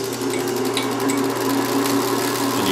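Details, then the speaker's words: BMW X5 DME on the bench, fed an Arduino-simulated crankshaft signal at about 800 RPM: quick, even injector clicking over a steady electrical hum, with the tachometer reading. Fuel injectors firing normally. "right now you can hear the fuel injectors coming on"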